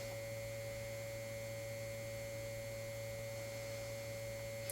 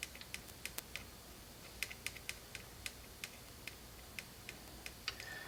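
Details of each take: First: 1952 GM Guide Autronic-Eye vacuum-tube headlight dimmer, vibrator running on about 3 V input: steady, even buzzing hum with fixed pitch and no dropouts; vibrator switching cleanly, normal vibrator buzz. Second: 1952 GM Guide Autronic-Eye vacuum-tube headlight dimmer, vibrator being tapped while powered: sparse, irregular light ticks never settling into a steady buzz; coil moves the reed but contacts aren't closing.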